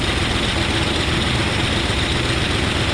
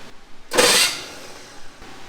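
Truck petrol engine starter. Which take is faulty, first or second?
second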